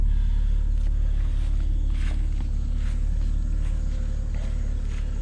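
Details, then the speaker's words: 2007 BMW 328i automatic, 248,000 miles, sat a couple of months: exhaust at idle, steady even low rumble with no misses, knocks or ticks; smooth-running, healthy, normal idle. "Let me hear the exhaust, hear how smooth it's running. That kind of miles on it."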